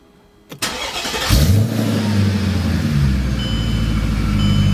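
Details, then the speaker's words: Mercedes M113K engine after cam position sensor replacement, warm restart; brief crank, catches within a second, revs briefly then settles to a steady even idle; clean start, owner suspects the earlier problem is cold-related or sensor relearning. "and that's that's the weird part guys it fires right up after it gets warm so it's something to do with being cold or it could have just been uh I don't know learning to the new cam position sensor"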